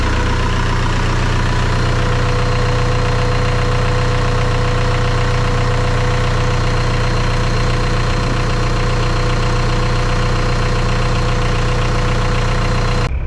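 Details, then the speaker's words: Homemade aluminum tracked snowcat with 1.9L ALH turbo diesel and hydrostatic drive on first shakedown, with a major oil leak; steady, low diesel rumble with even beat and no knock or misfire, running smooth and healthy. "Sounds good, runs good, haven't thrown a track. Other than that, you know, major oil leak, it's pretty good."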